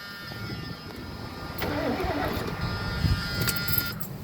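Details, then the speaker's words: 1977 Lincoln Mark V cranked from the key after electrical repair, with the chime sounding: the starter spins the engine at an even pace without clicking or hesitation; normal cranking, with a loose pulley about to fall off. "cranking by the key. Step one complete."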